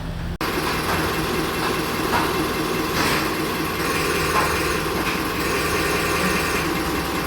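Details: Isuzu 4BC2 diesel with hard-start problem, after injection pump calibration for easier starting: steady, even diesel clatter with no misses or hunting; smooth normal idle.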